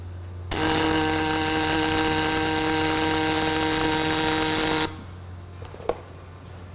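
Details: Fronius Fortis 270 pulse MIG on aluminum, setting raised to 125 for faster puddle: steady crisp buzzing hiss about four seconds, no sputter or pops; clean stable arc, outstanding weld with some soot.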